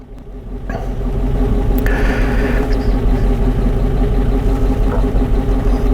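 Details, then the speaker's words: Warm 2012 Dodge Charger V8 idling with low uneven rumble and rhythmic stumble: dead miss on cylinder 1 at idle, clearing just off idle; engine analyzer confirms, despite new lifters, camshafts, rings, heads and coils over a year. "but when i go to idle this is a dead miss and it's on one so now what that's done for me is i've confirmed that cylinder one is the cylinder missing and it appears right off idle that it's not misfiring"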